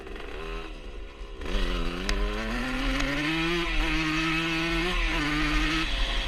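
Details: 1977 Honda CR125 Elsinore two-stroke with new HPI ignition: climbs and holds revs but briefly falters under light throttle; intermittent stutter, owner suspects an exhaust leak since it ran fine before the leak appeared.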